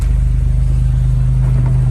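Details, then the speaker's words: 1968 Jeep Commando, 225 engine idling in neutral: deep, steady idle hum with an even pulse and no misses, knocks or ticks; one of the smoothest-running 225s. "One of the smoothest running 225s that I've actually had."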